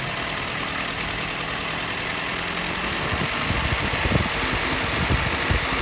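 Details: Toyota Yaris 1NZ-FE rebuilt with forged internals and a new timing chain kit, at idle: a fine, high-pitched metallic rattle riding faintly over the engine, loudest around 1800–2000 rpm. It has been present since the rebuild; cause not given.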